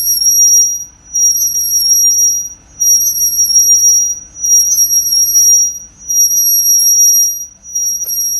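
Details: Car on lift, after removing and sanding front and rear brake pads: front noise eliminated, right rear remains; steady piercing high squeal swelling and fading about every 1.5 seconds with wheel rotation, cause unknown.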